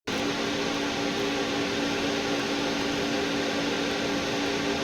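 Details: Old 2U server's original case fans before replacement with Arctic P8 Max PWM fans: steady loud whooshing whir with fixed mid-pitched hum, no speed change, old fans running flat out.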